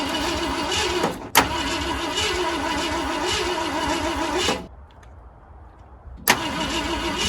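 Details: 1969 Ford F-100 that sat in the woods for years with a previously locked-up engine, cranked on fresh spark plugs and a weak battery: the starter turns it over evenly, about three turns a second, but it never fires. Cause unconfirmed.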